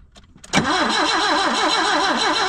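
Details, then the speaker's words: 1974 BMW 2002 after sitting over 30 years, on 30-year-old gas: starter cranks steadily, tone wavering about four times a second, engine trying to catch but not running on its own. "there it [Laughter] goes she wants to go no way she going to run on that old ass [Laughter] Fel"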